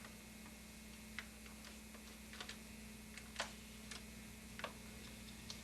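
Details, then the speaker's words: VCR tested with a tape in fast forward and rewind; sparse irregular ticks over a faint steady motor hum while the reels stay still, the drive system makes noise but won't move the tape, a reel drive failure. "and you see it's not moving but it's making a noise let's try rewind it's not even moving it's making the same noise we have a problem with the drive system it's not moving the tape"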